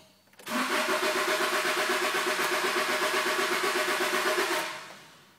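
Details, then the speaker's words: 1998 Honda Accord EX 4-cylinder: starter spins the engine at a steady, even rhythm for about four seconds but it never catches; crank no start, cause unknown. "It's EX 4 cylinder and it just will not start and I don't know what it is."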